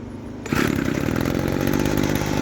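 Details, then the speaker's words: Vintage 1990s USA-made Weed Eater GHT-22 hedge trimmer, 22-inch cutter, two-stroke, first test start after fuel line and filter work and fresh fuel: catches after a pause, steady even buzz. Normal running. "well today another one lives"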